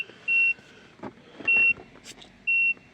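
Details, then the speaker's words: Peugeot 3008 after battery replacement, BSI shut down flagging handbrake faults, 11 volts at battery: high warning beep repeating about once a second, warning staying on, brake pedal not recognized, mileage display gone; battery fuse later found responsible. "It's beeping, it's hella annoying. See that stayed, that warning stayed on."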